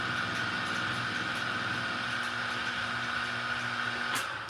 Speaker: again, that sound is what you want. That's a very good sound.